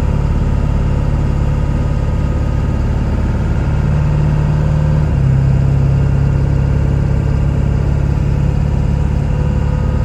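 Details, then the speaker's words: 1999 Ford F-350 SuperDuty 7.3 Powerstroke diesel dually, 88k miles, fully serviced, automatic pulling uphill: heavy diesel drone, revs drop cleanly at the gear change with no flare or hunting. Firm shifts, no slip. "we're gonna head up the hill here you can hear for yourself transmission go through all the gears you can hear it doesn't slip just pain gears"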